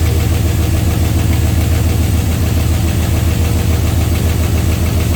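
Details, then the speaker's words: 6.0 LS V8 first start after replacing spun rod bearings; quick steady top-end tapping over loud idle rumble, keeping pace with engine speed, owner suspects valvetrain parts lacking lubrication and not yet pumped up: ticking noise. "It's over here. One of these guys here is making noise. You can see they ain't getting much lubrication."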